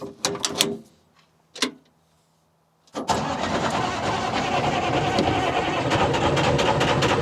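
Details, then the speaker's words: Telehandler swapped from John Deere to a worn Detroit 353 diesel, fuel-contamination suspected algae clogging filters, converting to spin-on filters, cold start without ether: short cranking bursts, catches, rough steady idle; hard starting. "Jeez, that's a lot better than we usually get with no ether. We'll give her spritz. She's going to need a bigger spritz."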